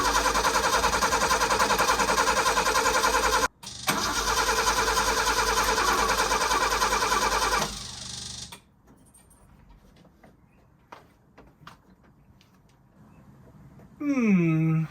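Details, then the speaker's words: Old Ford Popular hot rod, first start after engine reassembly and cleanup with new battery: starter cranks steadily about eight seconds without firing; no spark apparent, owner suspects it is out of petrol. "Doesn't sound like there's sparking at all, but it might be it's out of gas. I've got a feeling it's out of gas because I didn't put too much in there."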